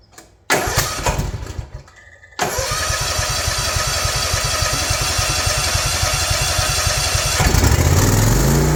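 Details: Ariens Ikon mower with Kawasaki FR691V engine, 5 hours old, which surged at idle since new; after pulling the carburetor and fitting a new fuel filter it cranks, catches and settles into an even V-twin idle with no surging.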